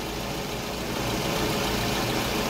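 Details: 2003 Toyota Previa 2AZ 2.4 L engine (same as Camry 2.4) after timing set replacement, third restart; previously hard starting and noisy. Even, steady idle with no rattle, slap or knock; normal idle.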